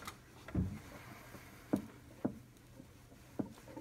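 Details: 2007 Audi A6 Allroad 3.2 FSI (BKH), new bank 2 upper timing chain tensioner, engine hand-cranked one revolution: sharp irregular clicks, three per turn, as the tensioner piston releases chain tension; owner unsure if normal.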